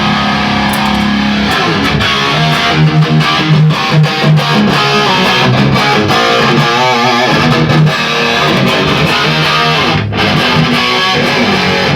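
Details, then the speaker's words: Modded 1979 Marshall JMP 2204 (SLO mod), dead on arrival, after fixing a crackle from a grounding presence pot and reflowing cathode joints; distorted guitar chords ring out full and clean with no crackle, cutout or hum. Normal amplifier tone. "all right if I just bought this off you know as far as modded amps goes sounds pretty damn good I wouldn't be upset if I bought it you know yeah that sounds pretty good now that it's kind of operational"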